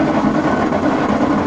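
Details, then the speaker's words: Washing machine in spin cycle: loud steady rumbling roar from drum bearings damaged by water; transmission needs replacing. "le pasa agua a los rodamientos y se dañan el rodamiento Valero si empieza a sonar de esta forma"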